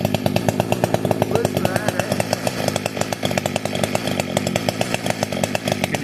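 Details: Fully built 60cc chainsaw, opened-up intake, tuned with ignition advance, started with no choke or high idle: crisp, even two-stroke burble at idle, steady pulses with no stumbling or surging; tuned right, normal idle.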